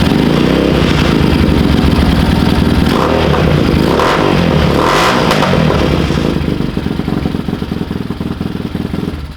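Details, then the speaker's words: Bashan Motomax 250 after cats removed, performance muffler fitted, carb jetted and airbox removed: a loud, crisp, fast, even exhaust beat that revs up freely and settles, revving much faster than stock; running strong and healthy. "Big improvement. Sounds sick. Yeah. Oh, it revs a ton faster."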